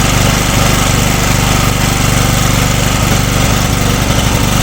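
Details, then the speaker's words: Engine on a generator with the head machined to run on LPG, changing over from petrol: a steady drone that stumbles and coughs as leftover petrol in the carburettor burns off during the gas changeover. "так закриваєм зразу бачите я перевожу оцим краном ставлю в нейтраль і потом добавляю потрошку пока перейде на гад почуйте й трошки подьоргує"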